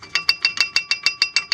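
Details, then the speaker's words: Chevy Astro: sharp metallic rattle about seven per second, bright and tinny, no engine underneath, heard over every small road crack; loose brake pads, replaced three weeks earlier, clattering in the caliper on both sides, as original GM pads also did. "like I said the original GM pads they were doing the same thing every time you hit a little tiny crack in the road and especially here in PA that the roads are so bad all you hear is"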